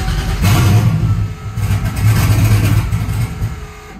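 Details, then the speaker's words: Cold start after sitting overnight: LS 5.3 (24x) on E85 with a Holley Terminator EFI and an aftermarket throttle body, still on GM IAC wiring, idle set at 850, no throttle. It catches, revs unevenly and stalls within seconds. Cold idle air control isn't working before the pin swap. "so obviously it dies there if i hold my foot on the gas it'll stay running and it'll run fine"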